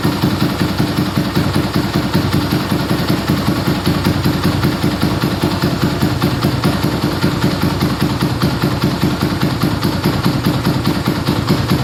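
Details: Yamaha Scorpio single-cylinder after tune-up (valve adjustment, carburetor cleaning, new intake manifold, oil change): even steady idle beat, no misses or tappet clatter, smoother after valve adjustment, air screw about 1.5 turns; normal idle.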